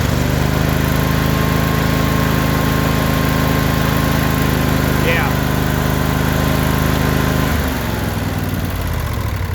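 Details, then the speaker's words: Briggs & Stratton Intek V-twin after valve lash adjustment, still cold after choke warm-up: runs steady and even with no ticking or miss, throttle drops back near end; running much better than before adjustment, valves sound properly set. "I think that I think that gutter did so there you go they're running a lot more better than it was before"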